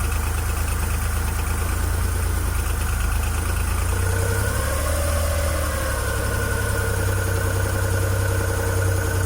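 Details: Suzuki F6A three-cylinder petrol engine, rear-mounted in a Multicab, holds a steady even idle with a smooth rise in revs midway. It had been hard to start because the valves were binding after overheating when the oil nearly ran dry. Now sounds like it runs properly.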